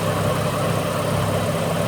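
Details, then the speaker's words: Ford BA Falcon inline-six idling after replacing the two front ignition coils, A/C on adding brief load: even, steady, smooth low drone with no misses or stumbles; remarkably smoother, engine running cleanly. "So, I've changed those front two. That is remarkably smoother. We got the air conditioner on, so it just kicks in a little load and kicks back out again momentarily."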